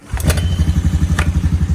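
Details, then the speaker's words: 2012 Honda Recon electric-shift ATV that sat over six months, cold start at 58°F without choke, in neutral: catches on the first crank and settles into a quick, even single-cylinder putter with no smoke, misfires or rattles; normal idle. "how about that first try started right up that's amazing no smoke running off the magneto"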